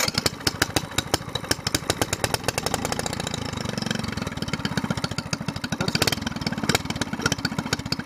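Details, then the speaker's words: SPS longtail mud motor, single cylinder, restarted after winter storage: it almost always needs choke after being shut off, even when hot. It fires in a quick, fairly even chug, picks up slightly and holds steady; running normally. "Almost always needs choke when you cut it off, even when the motor's hot."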